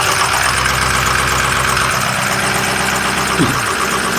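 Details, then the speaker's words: Idling engine after a fuel leak at the fuel regulator was sealed: thin, steady high squeal from the serpentine belt, slipping because the leak left fuel on it; it likely needs a new belt. "Sounds like we need to put a belt on it. It had a fuel leak before. We sealed up the fuel regulator. And obviously anytime you have a leak like that, it winds up getting fuel on the belt. Any fuel leaks, coolant leaks on the belt, it'll just squeak the hell out of it."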